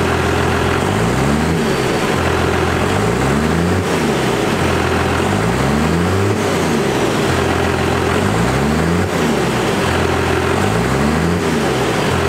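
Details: Diesel after readjusting the injection pump power screw for the new 3200 governor spring: steady idle with repeated rev blips every few seconds, each dropping cleanly back to idle without hanging; normal idle and free revving.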